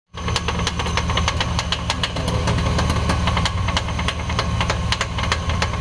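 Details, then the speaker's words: Chevy Express idling with a sharp, uneven clacking about three times a second from a failing cooling fan clutch, the knocking noise source; the clutch was replaced. "all right so this is the part number for the part that was making the knocking noise the fan clutch this is just the old one"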